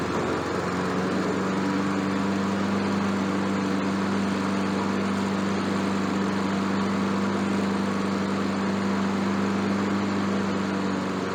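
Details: Honda lawn mower that had no compression, after a valve job, some hammering and valve cover sealant applied; even, steady single-cylinder drone holding speed without surging or missing; running normally.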